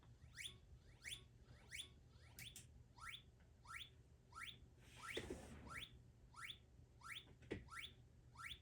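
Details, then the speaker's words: JTM-style clone tube guitar amp cranked to 10, with no speaker: a thin chirp repeats about every two-thirds of a second, sweeping up in pitch. The output transformer is audibly singing the test signal. "I'm actually hearing the signal coming through the Transformer that noise you're hearing is is the signal going through the Transformer there are no speakers"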